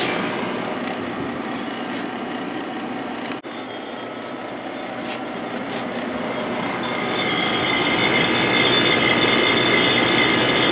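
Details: Sharp 8500/10500 BTU window air conditioner shortly after startup: a steady high ringing swells over the compressor hum, as it always does, while a line frosts up. The ringing later quiets down.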